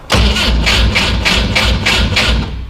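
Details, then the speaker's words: 1973 Volvo 142 SCCA race car with side exhaust, fuel pump on, cranked on a weak borrowed battery. Even starter cranking at about three turns a second with no catch or firing. Cranks but won't start; insufficient battery power. "well let's get a jump box thought i had enough power"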